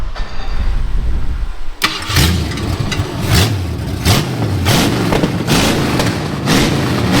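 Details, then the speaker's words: 1972 Ford Maverick after rewiring with ignition and fuel pump on separate fuse legs: short crank, catches and settles into a lumpy V8 rumble with a few throttle blips, running clean and steady. "all right BR fired up see what it sounds like think we got it all wired up"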